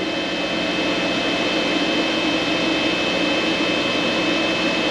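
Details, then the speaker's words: Vtoman Jump 1800 power station cooling fan kicking on after running a microwave and coffee maker near 1560 W, now about 575 W: steady airy rush with constant high whine; normal fan under load. "you hear the fan kick on all right so you see we're back down to 577 we shut the microwave off but now just a coffee pot 575 Watts"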